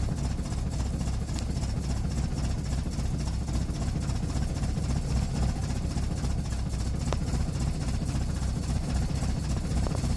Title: Rough idle